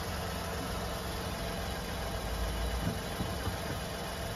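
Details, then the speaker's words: Front wheel hub bearing, replaced about 3 years and 30,000 earlier, on a lifted car in third gear: low steady drone with vibration felt on the spring coil; worn bearing suspected, possibly non-original part or water ingress. "Ну, короче, слышно, да, друзья мои? И на витке чувствуется вибрация. На витке пружины."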